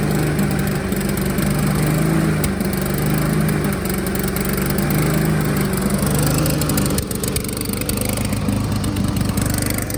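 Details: Honda HRR216 self-propelled lawnmower with auto choke problem and hard starting, spark or fuel suspected; engine speed wanders up and down and slows near the end; fluctuating, hunting idle.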